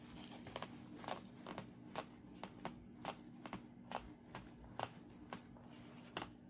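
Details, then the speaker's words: Gregory Baltoro 75 backpack after 20 nights of use: short uneven squeaks and creaks about once a second as the strap moves. Believed to come from the plastic connector joining the shoulder strap to the main bag. "This is the area I believe the squeak is coming from. There's a plastic connector that holds the shoulder strap onto the... I'm trying not to block the light. That holds the shoulder straps onto the main part of the bag."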